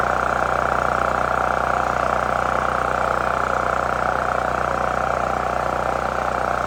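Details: New Holland Agriculture 6500 W generator, previously seized after running low on oil, restarted with fresh gas, valve cover and spark plug refitted; smooth, unbroken drone at constant speed with steady mid-pitched hum; normal running.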